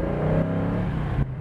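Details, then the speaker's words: 1967 Ford Mustang S-code coupe with a 390 V8, driven at half throttle: a deep, even rumble climbs smoothly in pitch with no misses or knocks. The exhaust note is normal and healthy. "Let's listen to that 390 again for a minute."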